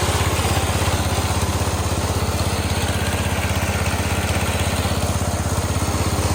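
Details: Massey Ferguson 16 garden tractor with old Kohler single-cylinder engine, revived after being parked roughly since 2013, new replacement ignition: steady even thump with deep exhaust note, no misses or surges; running smoothly and normally.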